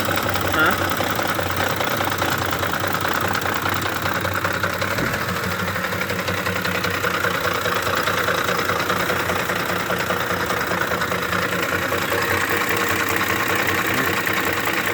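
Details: 2009 Ford F-150 5.4 V8 with 161k miles at idle: intermittent rough idle with chatter and knock, shaking the truck at steady rpm until revved. Suggested causes include cam phaser, timing chain, VCT solenoid and oil pump; never diagnosed.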